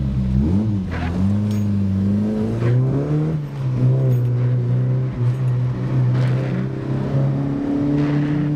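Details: Mk1 Fiesta XR2 with Jenvey throttle body and Omex 600 EFI, after remaking the inlet manifold and laptop mapping, driven in snow: revs rise and fall cleanly through the gears, smooth steady note, no misfire. Runs healthily after the fix.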